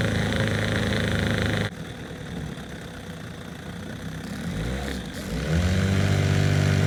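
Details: Outboard on an abandoned jon boat, parked over winter, condition unknown, first run in the water. Burbles at a steady, even idle, then speeds up a little and settles; runs smoothly and healthy.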